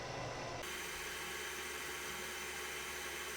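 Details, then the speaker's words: 3D printer enclosure evacuation/exhaust fan, switched on to blow air out the side of the heated enclosure: smooth, steady airy rush with no rattle, tick or wobble. Normal fan running. "let's go ahead and kick on that evacuation fan just to see how far it will drop down then the fan is on remember it's kicking air out the side of the enclosure"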